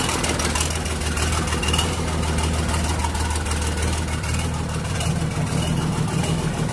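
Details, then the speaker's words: Volvo excavator diesel, back running after sitting unused for 7 years, with a converted ignition switch and one minor issue remaining. A steady, even low drone with no knocks or misses; it idles smoothly. "Ayun may isue pa tayo konti. So umandar na."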